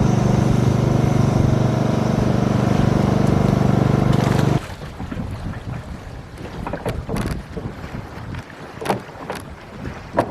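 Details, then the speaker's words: 1996 Tohatsu M40D 40hp 2-stroke outboard, after repairing worn 30-year-old fuel pump: steady even drone for a few seconds, no misses or stumbles, then wind and water; running fine. "Alright, let's see if it starts. Ah. Well, it seems to be running just fine."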